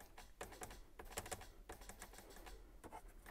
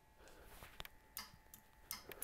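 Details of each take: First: 2-step switch panel on a car's nitrous/line-lock wiring: sharp, irregular relay clicks with button presses, sometimes engaging, sometimes not; the relay works but the switch itself isn't latching, so a replacement switch panel is planned. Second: Line lock relay clicking on and off normally when the line lock button is pressed, during wiring tests of 2-step, nitrous and line lock; sharp dry clicks in small clusters over quiet room noise.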